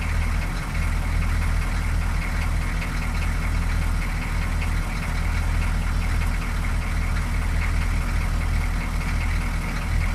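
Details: 6.2L diesel idling the morning after a fuel filter replacement for rough idle: starts right up, steady even clatter with no stumbling, hunting or stalling; sounds healthy, problem appears fixed.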